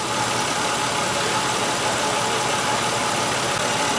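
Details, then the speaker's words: 1996 Buick Century 3100 engine, P0300 misfire, idling: steady but slightly lumpy, uneven beat; cylinder 5 dead because its Multec 2 injector is stuck closed (no pencil hump in injector waveform, high spark line). "this fuel injector is stuck closed that's why we have a high spark line in our secondary waveform that's why we have a misfire on this car cylinder number five fuel injector is stuck"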